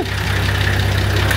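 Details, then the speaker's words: TD42 diesel, cold, first restart after fitting a new oil pan: deep, steady idle with an even low beat. The earlier thumping sound is gone, which they think was a bit of air in the system. Normal diesel idle. "coming good now it was just that I think that had a bit of air in it Yes sounds so much better"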